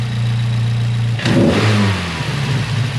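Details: Miata engine with a newly installed Fab9 Elite intake and BC stage 2 plus cams, bigger MAP sensor O-ring fitted: smooth low idle, then one quick clean rev rising sharply and falling straight back to an even idle; healthy, quiet.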